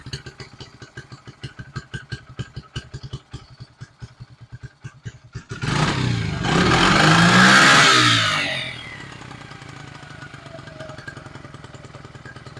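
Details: 1974 Honda XR75 small single on choke, only float adjusted, sputters unevenly and slows, a sharp throttle blip, then fades; engine won't hold an idle, does it every time.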